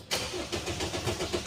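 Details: GWM Cannon that stalled on the road: the starter spins the engine in a quick, steady cranking rhythm but it never catches and runs; crank-no-start.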